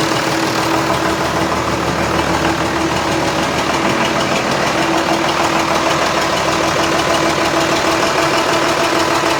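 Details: John Deere 6600 tractor with cab, engine repaired: loud, steady diesel clatter at an even idle, no misses, knocks or surges; healthy idle.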